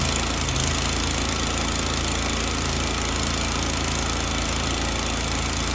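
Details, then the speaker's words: Grasshopper 727KW mower with Kawasaki FD750D horizontal-shaft twin, after cleaning one gummed-up side of the double-barrel carburetor: steady, even drone with no misses or surging; both cylinders now firing, where before it ran on one and bogged. "well that sounds much better um so again we weren't firing on this cylinder and it wasn't a coil issue it wasn't a spark plug issue but it was actually the double barrel carburetor one side was really gummed up"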